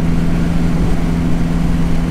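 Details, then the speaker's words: Dodge Neon SRT4 running again after repeated fuel pump problems: steady low engine note with an even, unbroken rhythm and no knocks or misses; normal running. "I'm glad she is running again it's nice to have her back"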